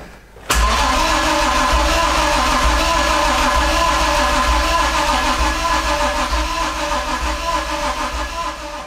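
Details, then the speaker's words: BMW E30 with swapped M52B28 engine fitted with an M50B25 intake manifold, cranking (E30 pump runs only while cranking): steady starter churn, no fuel pump whir heard; crank, no start, EWS immobiliser suspected, not confirmed. "Now we know the fuel pump on an E30 does not prime, it only pumps when the car is cranking. So we're going to crank it and see if we can hear for this pumping."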